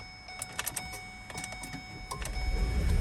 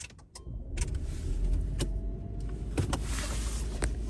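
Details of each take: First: 2009 Ford Escape Hybrid, 40,000 miles, high-voltage battery already replaced once and dead again, charged to 320 V (settled at 309 V): relay clicks, then the engine catches and rumbles; the pack dropped to 260 V on starting and needs charging. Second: Hybrid that wouldn't start from a low high-voltage battery (332 V, 1% charge), started after repair: a few clunks and clicks, then a low, steady rumble settling to an even idle while the battery voltage climbs. Normal start and idle.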